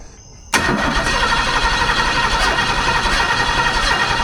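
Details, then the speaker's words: 1978 jet boat Ford 460 big-block, after distributor timing reset and used Duraspark and new fuel filter: steady cranking about four turns a second, never fires; no spark again, new box didn't help, new distributor bought. "Well, this wouldn't start back up and it turns out had no more spark again."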